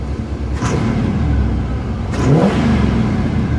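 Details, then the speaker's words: 1979 GMC Caballero four-barrel carburetor under full throttle while driving: a deep rising roar as the secondary barrels open; normal secondary opening. "That was the four barrels. Did you hear the other two barrels? The secondary's opened up."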